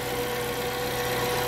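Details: Suzuki APV that would not start after park light use, after electrical troubleshooting: smooth, steady idle with even hum, no misses or knocks; normal idle.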